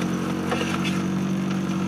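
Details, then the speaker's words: 1993 Mazda Miata with a Nissan SR20DET turbo swap and 3-inch straight pipe, heard from inside the cabin with the doors closed and top up: steady even low hum with no misses or knocks; a smooth settled idle. "The doors are all closed, the top is up. This is what it sounds like in the cabin."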